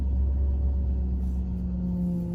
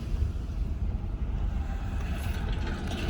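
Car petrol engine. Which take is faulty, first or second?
first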